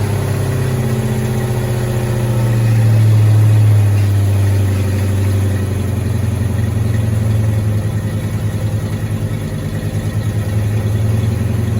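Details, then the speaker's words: 1986 Mustang GT V8, original miles, sat a long time, just refueled with new cap and rotor, warming at idle: lumpy idle that stumbles and surges; misfire from arcing spark plug wires. "Uh-oh. Kind of sounds like it's messing though. That's not pretty good."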